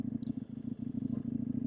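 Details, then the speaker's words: CFMoto 800MT motorcycle ridden at steady speed on a cool day: fast, pulsing low buzz over the engine drone, traced to the mirror vibrating. "so I kept a steady like a steady speed to try and figure out where the noise was coming from and it's that Bloody mirror making a weird buzzing noise"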